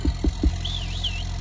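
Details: 1997 Dodge Ram 2500 4x4 with 5.9 12-valve Cummins diesel, first start after sitting a year: a few thumps over a steady, deep idle that stays even with no misses or knock, oil pressure good; normal healthy idle.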